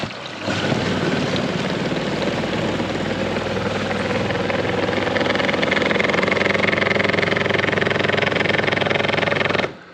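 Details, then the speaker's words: Saniflo macerator toilet running when flushed or when water goes down it; an object was possibly dropped into it. Labouring, vibrating drone with an uneven throb about three times a second, from blades fouled by rope wrapped around the cutter. "now i'll show you what the issue with this is when you flush the toilet or put any water down it you get this"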